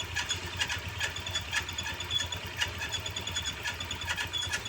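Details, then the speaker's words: Honda Vario 150 scooter, CVT already cleaned and oil changed, squeal persists at low RPM, traced by stethoscope to water pump: thin high pulsing chirp over steady idle; water pump bearing likely dry. "kalau misalkan kita menggunakan stetoskop seperti ini ya itu lebih jelas suaranya ee terdapat di bagian water pumpnya ya yang bermasalah nah kemungkinan water pump laharnya itu kering ya bernya itu kering makanya menimbulkan suara"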